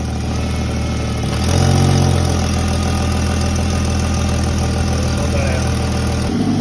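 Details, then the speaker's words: Ford FG Falcon converted from naturally aspirated to turbo, idling: a rapid puffing tick over a deep rumble. This is an exhaust leak, believed to come from the T3 turbo flange gasket. "You guys want to hear the exhaust leak? I've got to fix that up one up."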